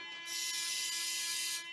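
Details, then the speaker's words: Mazda RX-7 FC rotary project after fixing a bad ground that restored spark and tach signal: steady, high, shrill buzz for about a second and a half, then cuts out; a warning buzzer whose cause is unknown. "if anybody knows what that buzzer is that goes off can you let me know put a comment in because it is just pissing me off"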